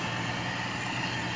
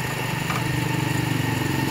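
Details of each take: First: Toyota 5K engine during tune-up (valve clearance, ignition, plugs, carburetor rebuild), idle being set by air screw: low, even drone with no misses, surges or knocks; smooth settled idle. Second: Toyota Kijang with carbureted 5K engine during tune-up and carburetor adjustment: revving up and holding a raised speed with a slight wavering pulse in the note; still running a little unevenly, cause still being sought.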